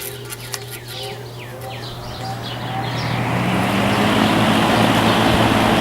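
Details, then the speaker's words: Lakewood S23 fan after straightening and balancing its bent blades, starting on high while on a kilowatt meter; steady low hum swells into a smooth, even whoosh with no wobble or ticking, running even smoother than before. "I did some more adjustments to the blades and now it's running even smoother."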